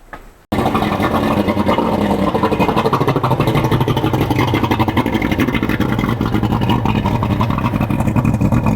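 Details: Boat outboard motor, pre-season first start with cover removed, after fuel/water separator filter change and before spark plug change: catches within half a second and settles into a steady, even run with no misses or knocks; healthy start.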